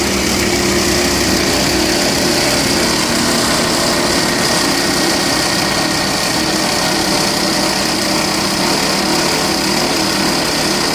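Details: 2012 Volvo XC60 2.4 D5 AWD diesel at idle, under the hood: constant gritty metallic rattle over engine clatter from the alternator, traced to a worn pulley bearing.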